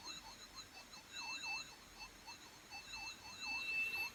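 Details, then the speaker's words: 1983 Pioneer CT-540 cassette deck playing a 3000 Hz test tape after reassembly: tone slides up and down in pitch several times a second; severe wow and flutter, cause not confirmed. "Oh dear, that is terrible. As you can see there, just how bad that is. And as you know, this should be a constant 3000 Hertz tone, and that is terrible."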